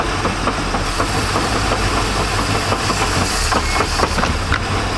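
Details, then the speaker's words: 1999 Chaparral 1930 SS boat MerCruiser engine, temp 150, shifting into reverse: engine rumbling with a few sharp knocks as reverse is selected, gear seemingly not engaging, sounded real bad; linkage suspected but unconfirmed, outdrive check pending. "That's not good. It's like it wasn't going in the gear. It sounded real bad."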